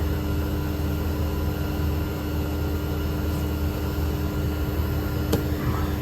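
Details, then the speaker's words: 12,000 BTU mini-split heat pump heating in cold winter weather (about 20–30°F), drawing about 1.95–1.96 kW near its nameplate amps: steady, even hum with constant tone and fan rush, no knocks or rattles; compressor working hard but normal. "so we hit a peak of 1.95 KW so 1950 Watts oh there we go 1.96 this thing is cranking"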